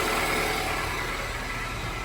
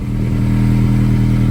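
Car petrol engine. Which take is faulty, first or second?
second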